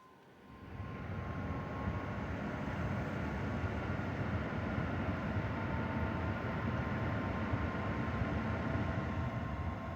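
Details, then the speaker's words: Zotac RTX 4090 AMP Edition graphics card fans at about 50 to 60 percent with phone right up against the card: even steady rushing air with faint constant hum, no ticking or grinding; normal fan noise. "my computer's under the desk so it's not really much of a bother the noise but again it really doesn't ever go above like 30 um 30 percent so the fans you don't really hear them"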